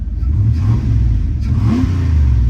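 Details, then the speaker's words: 1993 LE pickup with V8, used for hauling: deep, smooth rumble rising cleanly when revved and settling back, with no ticks, knocks or misses. A healthy engine. "That engine sounds great. That is pretty crazy to me."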